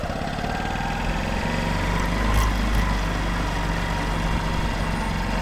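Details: Honda CBF125 M-9 single-cylinder motorcycle idling with an uneven, rattly beat and a strange unidentified noise over the exhaust; owner seeking the cause.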